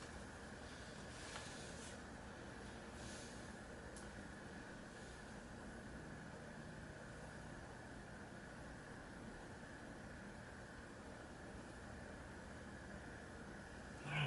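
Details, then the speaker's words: Sears turn-of-century ornate Lasko ceiling fan, single speed because its speed-control potentiometer is faulty: faint steady whir with a thin high whine during a long coast-down after switch-off; the bearings are noisy, though the fan still spins down for a long time. "still got a long spin down so just bearings are a bit noisy they're just noisy I'm just looking to quiet them"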